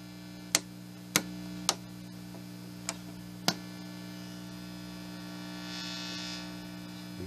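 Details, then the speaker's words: Home-built amplifier gives a steady low mains hum (60 or 120 cycle, uncertain) with control clicks. The hum rises with the volume control and is absent at zero volume; grounding is suspected. "You can hear how bad it is. It does react to the volume, so whether it's 60 cycle or 120, I'm not sure, but I do know that I should take this thing apart and work on the ground."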